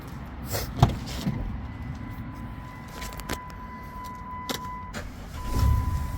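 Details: Van after a misfire fix, with ignition coil boots reseated (the misfire had caused a MAP sensor failure): quiet, low, even idle rumble with no stumble or skip, occasional click and chime. Check engine light now off. Normal idle.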